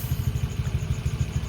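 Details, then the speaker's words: Honda Click 125 after new block set install, warming up with radiator bled, later reading 88 degrees at about 1,600 RPM; low, even putter at steady idle with no knocks or misses, normal warm idle, installation judged good. "Tahimik naman po yung makina. So maayos naman yung ating pagkaka-install."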